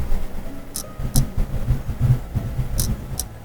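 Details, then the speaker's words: Seek Compact Pro thermal camera, shown in comparison with a Thermal Master P3 while imaging a PCB: soft, sharp, old-clock-like ticks over a low room rumble as its mechanical internal shutter moves to calibrate temperature drift; normal shutter clicking, with slower, stuttering refresh. "That sounds like a old analog clock. Literally you have a shutter inside that physically moves and its what calibrates the temp drift"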